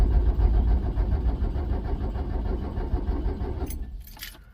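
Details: Truck that sat for many years, cranked from a 12 V lithium jump starter pack on a dead-flat, bad battery: heavy, uneven slow cranking at about 3.5 turns per second that drags and fades out without firing.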